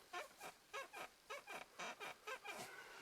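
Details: Ford Focus 3 at 1,523 km, under warranty: short high-pitched creaks about twice a second each time weight shifts, no engine underneath; the driver's seat is squeaking.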